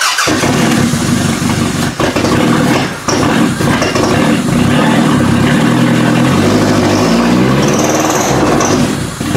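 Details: Toyota Camry demolition derby car running on jumped computer power and limited wiring after days of no start: engine keeps running but wavers and stumbles; rough running, owner suspects fuel flooded into the exhaust.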